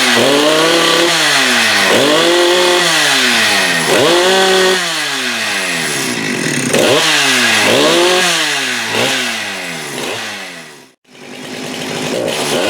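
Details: Husqvarna 394 with HyWay 58 mm big-bore pop-up cylinder, cold day, aftermarket carb replacing the OEM carb: repeated clean blips to a high scream at about 12,100 rpm no-load, up from 10,500-10,900; normal high revs.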